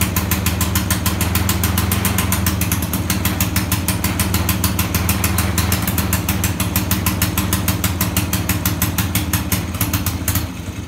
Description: 1921 Cleveland two stroke motorcycle, has not run in 40 years, just got the magneto rebuilt and tried starting it. Looks like it is running a little rich.